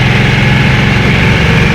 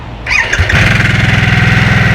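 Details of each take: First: Harley-Davidson Nightster V-twin with stock exhaust, cruising on a twisty Bugak Skyway hill road: steady, deep, even thump with no ticks or rattles; a healthy stock exhaust note with good pulse, considered fine without a custom muffler. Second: Harley-Davidson Nightster V-twin started in Normal mode: starter whirs, then a lumpy idle with a fine tinny buzz over the beat, which the rider likens to sheet metal vibrating at startup; cause not identified.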